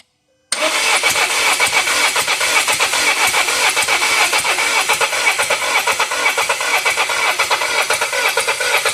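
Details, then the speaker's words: 2017 Volvo XC90 brought in as crank-no-start after reportedly stalling while driving; it starts but runs rough with a miss, fast uneven pulsing idle with stumbles, no smoke but raw fuel from one cylinder. "a little bit not a lot it runes it just has a miss"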